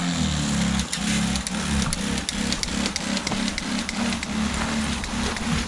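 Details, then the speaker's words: New 12V pump with new wiring harness on 100L lawn tractor sprayer trailer, clipped to battery, first run; pump buzz cutting out and in several times a second, rapid on-off cycling, cause unknown, seemed to stop after running a while. "The thing that I'm not crazy about is that the motor seems to be clicking on and off multiple times per second."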